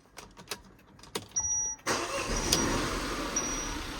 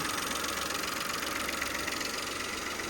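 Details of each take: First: 2017 Peugeot 2008 GT Line, Cat S, after reconnecting an unplugged wire: quick crank, then catches cleanly and settles into an even, steady idle with no stumble; normal start. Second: 2017 Peugeot 2008 GT Line at idle on first start after a wet timing belt change: rough, slightly uneven idle with a regular hiss and tick. Owner suspects a vacuum leak from a pipe, or a plug or sensor left unplugged.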